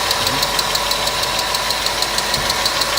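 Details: Car engine idling (oil capacity about 5.5 L): fast, light ticking about three per second over a steady idle. Suspected hydraulic lifter (compensator) noise, unconfirmed.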